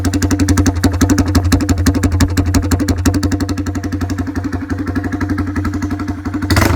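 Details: Honda MSX125 converted for motocross, started with the exhaust tip removed: rapid, even firing pulses at about three per second, loud, raw and open-sounding with a low rumble.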